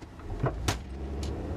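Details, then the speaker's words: Car clunks when taking off, hitting bumps or pulling into a driveway; dull clunks over low rumble as it pulls away, traced to the front with the wheel clunking when pulled while jacked up, worn lower control arm. "does your car clunk as you take off and hit bumps in the road, like this when you take off, or"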